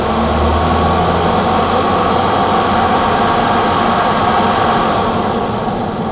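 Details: 1987 BMW E28 520i, M20 2.0-litre inline-six (129 PS), nearly 400,000 km, now running excellently; recorded on a phone with good low-frequency microphone; smooth, even idle with steady hum, no knocks or misses; normal idle.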